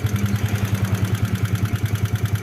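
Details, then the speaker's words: Yamaha New Vixion Lightning (NVL) at idle, clatter traced by probing to the cylinder head, clutch side smooth: rough, evenly spaced klitik clatter about nine beats a second from the top end; fault in cam chain, tensioner or rocker arm area. "ini ternyata di bagian headnya ya di bagian keteng atau di templarnya di rocker armnya ada masalah ya"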